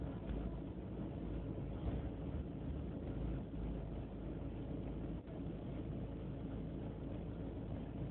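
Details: BMW E36 318ti petrol engine: deep idle drone with unsteady beats and small dips in level, not holding a clean idle; rough idle only slightly improved after replacing the idle control valve, cause unclear.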